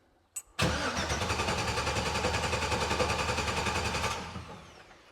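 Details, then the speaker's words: Custom 2015-built hot rod Jeep, sat about 8 months, new battery fitted, fuel pumps shut off: steady starter cranking roughly three and a half seconds without firing, to circulate oil before starting. "So I'm going to shut off the fuel pumps and turn the key and see if it'll crank."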